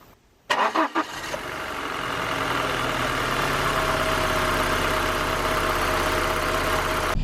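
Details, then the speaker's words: BMW 318i E46 Touring cold start after parts fitted to reduce timing chain rattle: cranks briefly, catches, settles into a steady even idle with no chain rattle; sounds much better, normal cold start. "sweet that sounds way better um fingers crossed that helps"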